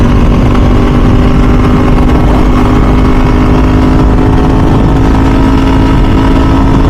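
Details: 2000 Ducati 996 SPS V-twin on its first ride after a full service, riding in mild Southern California weather: a deep, even exhaust beat holds steady with no knocks or rattles, a healthy note.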